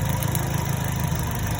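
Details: 2010 Chevrolet Cobalt 2.2 after repair: missing ground fixed at the starter relay and MAF sensor (P0102 cleared), bad cylinder 3 coil replaced. Even, steady low idle rumble with no skips, stumbles or misses; firing cleanly on all cylinders.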